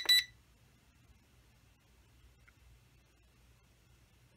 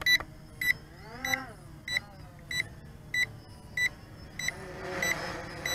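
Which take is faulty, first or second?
second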